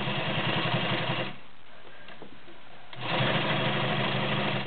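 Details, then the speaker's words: White Model 618B all-metal sewing machine with 1.3 amp motor sewing woven upholstery with rubber backing: quick, even stitching clatter around 170 per minute in two bursts, steady through the thick fabric; sewing easily. "Beautiful, smooth, quiet machine. woven upholstery with a rubber backing."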